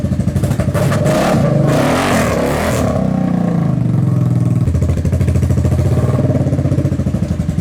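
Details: Kawasaki KFX700 quad on fresh gas, after months sitting, runs with a rough, uneven beat and occasional popping stumbles: intermittent misfire or intake backfire. Carb cleaned, spark confirmed, timing chain checked; owner suspects stuck valve or timing chain, unconfirmed.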